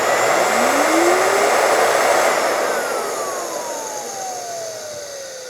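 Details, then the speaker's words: Dryer universal motor on the bench after the brushes were reseated: a loud, airy roar whose whine drops smoothly as it coasts down, leaving a faint residual rumble. Much better than before; brush bounce on the commutator is reduced. "There's still a little bit of that noise, but wow, so much better."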